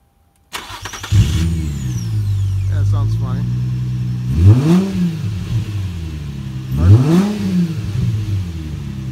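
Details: 2003 Infiniti G35 after starter replacement: starter cranks briefly, engine fires straight away and settles into smooth idle with clean blips, restarted several times; healthy start.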